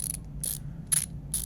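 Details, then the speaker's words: Leatherman Garage 009 multitool ratchet, detent already often going past its point: four hard raspy clicks roughly every half second as the handle turns; owner unsure if normal, cause unclear, harsh ratchet clicking. "Is it supposed to sound like this? I don't know, it just doesn't sound very good."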